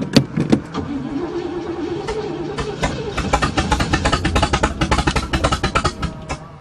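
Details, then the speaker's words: Chevy engine that had run out of gas; after refuelling and cranking it catches and settles into a steady, even, healthy idle. "ah now that's what a chevy is supposed to sound like see it was just out of gas"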